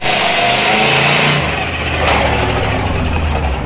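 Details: Old International pickup after swap to a freshly built Chevrolet V8, test drive up to 50 mph: loud, open V8 without exhaust rising and falling, pulling cleanly without misses or knocks; brakes poor, master cylinder ordered.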